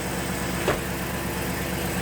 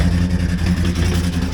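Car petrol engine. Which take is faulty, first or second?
second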